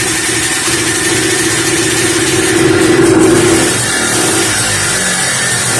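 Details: 1988 Polaris Trail Boss 250 R/ES two-stroke after long storage, running on carb cleaner with gas and added 2-stroke oil: it buzzes unevenly, revs wandering up and down instead of holding idle; the owner plans a carb rebuild.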